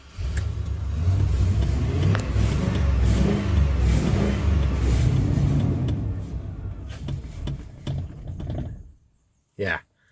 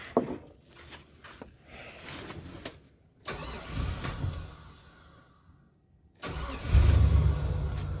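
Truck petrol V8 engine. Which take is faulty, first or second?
first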